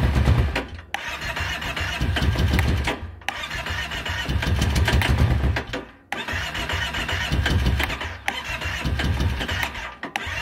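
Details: 2012 Kawasaki Brute Force 650i ATV cranked with choke closed: starter whirs the engine in several long bursts, never catches or fires, crank no start.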